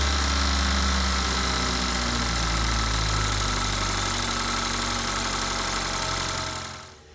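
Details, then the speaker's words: BMW N20 4-cylinder just started after a valve cover gasket replacement, possibly rough at first from air in the fuel lines: it settles into a steady, even idle with a smooth low hum, then winds down and stops. Sounds healthy. "alright let's connect the battery and start it up it's gonna run a little rough in the beginning and it actually might set a check engine light so you can clear with your code reader just because of the air in the fuel lines what it should staple out after a few seconds"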